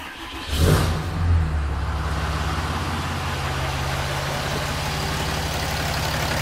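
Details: Ram 6.7 Cummins diesel on first start after swapping the factory VGT turbo (codes P2262, P226B) for a Smeding fixed-geometry turbo: short rev, then steady even idle, no knock, whistle or hunting; healthy.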